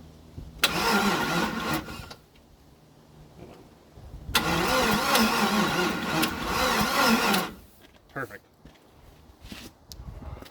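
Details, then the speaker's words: 1956 International R180 truck with a junkyard 454 V8 at its first start: two long, labouring crank runs at about three turns a second that never catch, even with a booster pack. Slow cranking from a weak battery setup; a spark flash was seen. "I suspect that this battery setup is is not ideal I mean you can hear it cranking I've got a booster pack on there but it's still really not enough"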